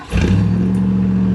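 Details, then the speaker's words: Ford LTD with rebuilt engine and new carburetor, started a couple days earlier: short crank catches at once into a smooth, steady low idle with no misfires or rattles; engine in perfect condition. "the engine is in perfect condition we don't have to do anything to the engine but just take a listen not a single misfire"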